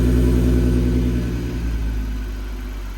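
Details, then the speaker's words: VW MK6 GTI 3.6 VR6 after rod bearing replacement, first start: deep even rumble settling smoothly as revs drop, no knocking or ticking; normal idle. "the oh it's got a nice so I'm scared I'm shaking but it sounds good idling really nice"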